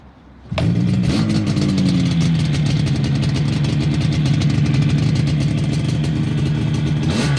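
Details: Fully restored 1980 Yamaha RD250F two-stroke: fires right up, blips briefly, then settles into a crisp, even idle with a steady beat and no stumbling.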